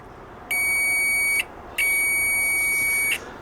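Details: Continuity buzzer of a Chinese multimeter upgraded with a louder buzzer; two loud, steady high-pitched beeps of about one and one and a half seconds with a short gap, working properly.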